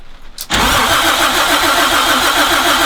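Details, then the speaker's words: Toyota FJ40 Land Cruiser six-cylinder, sat about 40 years: steady even cranking, about three and a half turns a second, but no start. Points new, 8 volts at coil, no spark. Suspected no fuel, or points opening too far. "I know what's wrong with it ain't got no gas in it all right Mr Jean let's go ahead and crank it"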